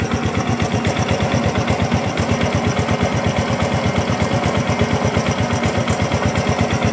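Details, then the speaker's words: Used 2014 Honda Revo FI fuel-injected moped idling: an even, steady putter at about 170 beats a minute with no knocks or misses. The engine is still smooth and sounds healthy, a normal idle. "Masih halus teman-teman. Dengarkan sendiri, tak gas ya."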